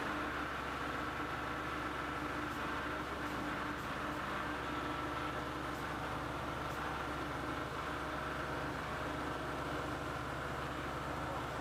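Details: Air 40 SCBA fill trailer diesel after 15–20 second preheat and fuel solenoid engaging; steady, even idle with low constant drone, no knocks or misses, settling and running smoothly; normal.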